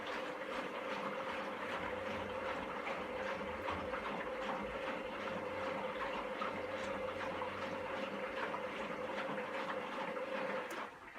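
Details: Candy GVS169D3/1-80 Grand O Vita 9kg washer after replacing failed motor-controller triac on control board (error E09): water filling, pump running, drum agitating correctly with steady motor hum, even unhurried churning, no grinding or knocking; normal wash.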